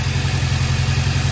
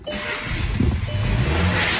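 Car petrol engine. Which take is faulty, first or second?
first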